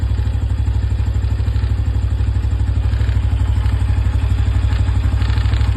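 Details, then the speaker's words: New 2025 Honda Biz 125 motorcycle with only 77 km, idling: busy, rattling clatter over a deep fast pulse, sounds like something loose — engine clatter. "Ó o barulhinho que faz esse motor, hein? Não sei se dá para ouvir aí, mas é como se tivesse alguma coisa solta."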